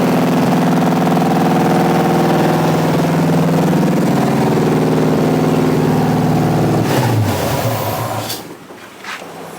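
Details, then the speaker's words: 1986 Chevy C10 with replacement small-block 350 V8: fast, even idle that holds high rather than settling. Possible vacuum leaks tightened; cause suspected, not confirmed. "a little high but I think she's going to be all right I tightened down a couple possible vacuum leaks"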